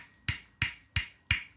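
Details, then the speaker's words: IZh Jupiter 3 motorcycle crankshaft, removed during engine teardown, rocked by hand giving five sharp metallic clicks about every third of a second: worn big-end bearing play; crankshaft to be replaced. "слышите этот звук? Коленвал уже стучит."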